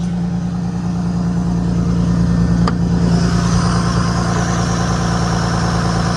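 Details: 1998 Lexus GS300 petrol, idling after AC compressor replacement: steady smooth idle with even low hum, no tapping or misses; engine sounds healthy.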